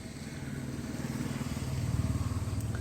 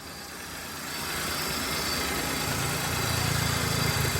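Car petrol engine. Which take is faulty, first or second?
second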